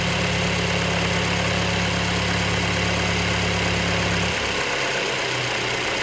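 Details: 2023 Mercedes-Benz E250, about 6000 km since new; engine noise at idle, a steady whir and hum with low drone dropping out after four seconds. Service center found nothing wrong; cause unknown.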